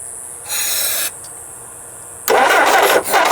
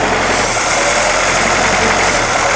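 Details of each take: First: 1958 Jeep CJ5, sat about three years, previous owner said it wouldn't start: cranks in short bursts, catches briefly and sputters without idling; owner suspects fuel starvation or flooding, not confirmed. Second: 1958 Jeep CJ5 running only on sprayed fuel into the intake: even, steady idle with no skipping beats, all cylinders firing, smooth until spraying stops; fuel supply issue suspected.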